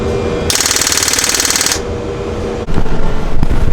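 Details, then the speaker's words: Land Rover overlander after head gasket repair, battery with jump pack attached: turning the key gives about a second of fast machine-gun clicking with no cranking, solenoid chattering on a dead battery. "right well that noise means that the battery is dead and the jump start thinking [ __ ] having it"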